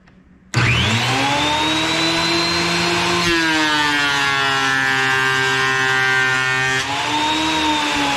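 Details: Wood planer after replacing its drive sprocket, with a new set of blades planned, removing saw marks from a board: a steady high whine that sags slightly as the board feeds through evenly. Normal planer cut.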